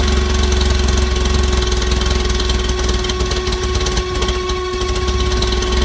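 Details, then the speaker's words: 1964 Bedford CA panel van not run for about 10 years, rotted exhaust: loud, rough-edged running with a steady low drone and heavy exhaust roar; engine keeps going evenly. "she runs it runs yeah with an exhaust on it it would probably run very well indeed"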